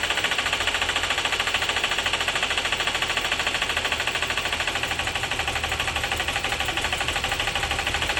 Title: 2012 Buick Enclave engine knock after engine flooded with water